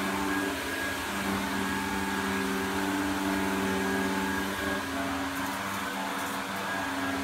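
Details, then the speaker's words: Electrolux 502 vacuum cleaner with a new flexible hose fitted: a steady motor drone with a harsh whirr and faint wobble; suspected worn motor bearings, not confirmed. "hmm I think that sounds more like the bearings on the motor sounds a bit crazy"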